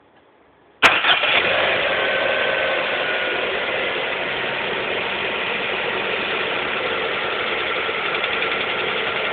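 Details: Lada Priora 2 with 21127 engine at 5,000 km: cold start that catches and settles into a fast idle with a steady light clatter on top, an engine knock when cold of unknown origin.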